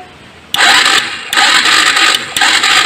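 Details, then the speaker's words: Honda Supra X 125 motorcycle with spark plug out: three short starter bursts, cranks without firing; the coil lead gives no spark, traced through CDI output to a failed pulser coil, which was replaced. "kemudian prosedur pengecekan selanjutnya adalah telah kita tes koil tidak mengeluarkan bunga api"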